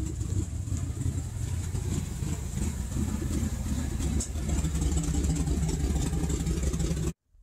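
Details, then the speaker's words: 1998 Ford F-150 5.4L Triton V8 at idle, rough only when stopped and sometimes stalling: low, uneven, loping idle that shakes the truck and exhaust, like a misfire but not one; traced to a vacuum leak. "shakes the whole truck almost sounds like it's got a misfire but it doesn't [Music] the exhaust is shaking a little bit"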